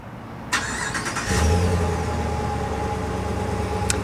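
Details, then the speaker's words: 2021 Ram 1500 Big Horn started by key fob remote start. The starter whirs briefly, then it settles into a deep, steady idle with a throaty exhaust note that sounds beefier than the stock one. Normal start and idle. "definitely sounds good and if you guys haven't already seen my rmt review i just reviewed an rmt right before this you can definitely tell tell the difference between the sounds with the exhaust between the two that definitely sounds beefier than the stock one"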